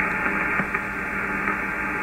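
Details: HF ham radio receiver on medium wave near 474 kHz: steady hiss with fine buzz and faint low hum across the band; interference traced to an ungrounded power supply of the internet provider equipment, eliminated once fixed.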